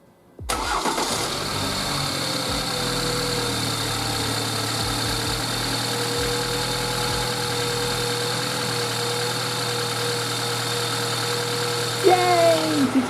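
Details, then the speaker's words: BMW 2 Series (F22/F23) B46 four-cylinder, just after spark plugs changed and coil packs refitted during the 24k service: catches after a brief crank and settles into a smooth, even idle, no misfire. Normal start and idle. "you hear that sound? It started and it I was worried about that."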